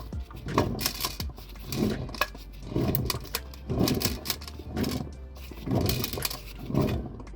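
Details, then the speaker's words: Car gearbox turned slowly by hand with the clutch slipped onto the input spline, during a clutch and flywheel replacement done for a chattering noise: a gritty chattering grind about once a second per turn, from damage inside the gearbox. "noise yeah that's that's that gearbox is wow so I need to find a gear box now time to head Marketplace I suppose see if someone's got a damn gearbox I can go pick up because uh that other one's trash"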